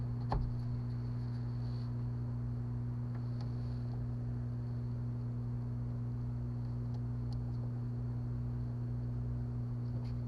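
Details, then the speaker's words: 1998 Chevy Suburban that sat 8 years, fuel pump run by jumpering relay terminals 30 and 87: a steady, even low electric hum with no whine. The engine still did not start afterward. Normal fuel pump operation. "that's the fuel pump fuel pump works let's try cranking it up i can't believe it sounds like it works"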